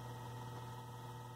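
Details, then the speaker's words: Vintage McGraw Edison New Home 20" box fan, model 20137, motor reassembled and run without blades: smooth, even low hum with no scraping or rattle; power cord intermittent. "Alright, well there it is running."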